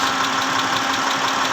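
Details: 2010 Mitsubishi Pajero, 6G74 V6, at idle: fast, even, metallic tapping over a steady idle, from inside the engine; engine knock, cause still unknown.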